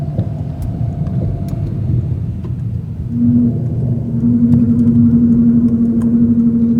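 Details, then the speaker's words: Dodge SRT8 at running temperature, noise only when hot, most reproducible in third gear: steady low drone near 250 Hz over road rumble when adding a few hundred revs after coasting on light throttle; cause unknown. "it's during the time that i'm redoing the revs you know adding some more revs um you know a couple hundred more revs that's when this noise can be heard"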